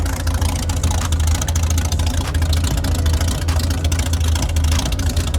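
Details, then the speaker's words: Kraftwerks/Porsche 917 race car with rebuilt PMO carbs, linkage joined: a deep, steady drone with irregular sharp exhaust cracks; rich mixture, with really black tailpipes. "As you can tell, right there, even when I was revving it up, you can still hear a little bit of popping."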